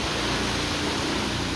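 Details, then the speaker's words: Ryko Softgloss XS car wash, wash water valve after replacing the failed diaphragm seal that caused low or pulsing soap nozzle pressure: strong, steady hiss of water spray with no pulsing or sputter, full even pressure restored. "all right current test with water in theory here goes oh oh my gosh that was the problem at the end diaphragm the whole time holy cow nice"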